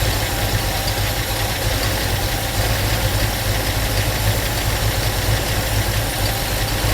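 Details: 1972 Ford Mustang Mach 1 with good oil pressure: loud, lumpy idle with a light loose rattle over it, thought to be the open rear door shaking.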